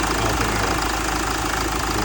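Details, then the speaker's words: Hyundai Terracan 2.9 turbo diesel, automatic, after a rough-idle misfire was cleared by unplugging and reconnecting the high-pressure solenoid switch: even diesel clatter at a steady idle with no stumbles, running smoothly. "run smooth as silk."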